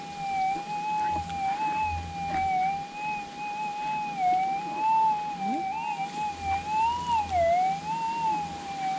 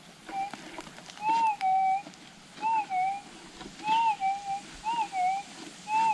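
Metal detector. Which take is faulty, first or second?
first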